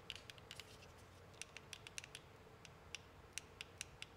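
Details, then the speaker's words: 3D-printed right-angle enclosure for a UM016 microscope: dry, irregular ticks like a tactile switch, actually printed layer lines interlocking and scraping as unsupported thin parts flex. "the clicking that sounds just like a tactile switch is really just 3d prints scraping against each other and you're hearing the layer lines interlocking and scraping past each other"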